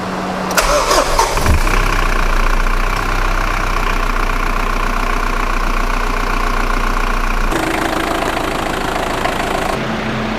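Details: Mitsubishi L200 diesel pickup first start after turbo rebuild and install, with preheat: cranks and catches quickly, then settles into an even, steady idle with no stumbles or knocks; healthy, boost later confirmed.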